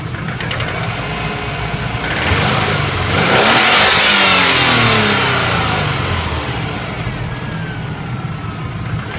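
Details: Subaru Impreza turbo GC8 idling with a steady quick knock that sharpens as revs climb; suspected worn bottom-end (metal) bearing, unconfirmed.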